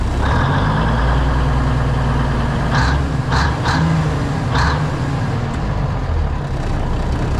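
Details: Classic White Freightliner COE heavy wrecker with Eaton Fuller Road Ranger transmission, cold start in freezing weather after sitting: steady, even low diesel rumble with short air hisses as frozen air brakes build pressure; good oil pressure, healthy idle.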